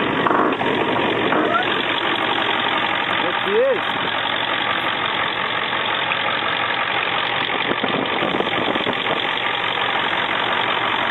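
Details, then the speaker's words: 2001 Ford F-250 cold start after battery charging and oil preheat: steady even idle with a smooth unchanging rumble, no knocks or misses; normal idle. "should start like a beauty now see how she does it let's give a try nice sounds like a beauty"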